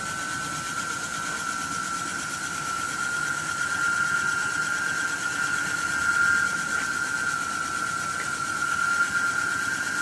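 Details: Javelin 16-4 portable 4-inch auger with high torque kit at full speed, moving about 100 lb of fine cakey dense powder; a steady motor whine at one pitch with an even hiss of product flow, normal under load.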